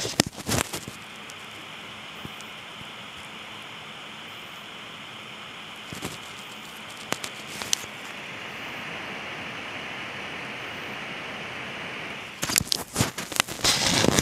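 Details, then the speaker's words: MinisForum NUC mini PC under full CPU stress test, microphone held to the unit: steady, loud airy hiss with a sharp edge as the cooling fan races flat out; annoyingly noisy under load, turbo mode not yet disabled. "ganz gut hören das ist wirklich ziemlich nervig vor allem da ja wenn man jetzt TV schaut oftmals bei filmen oder anderen inhalten die umgebungs lautstärke relativ gering ist und dann eben so ein zischender lüfter da wirklich nervt"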